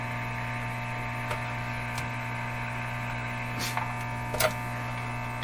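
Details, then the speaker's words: 1935 Rogers Model 7R622 tube radio after replacing the last capacitors, on shortwave band with volume near maximum: steady low buzz, loud mains hum that also modulates a received station; cause not confirmed. "can you tell it's modulated by the same hum i'm pretty sure the same hum"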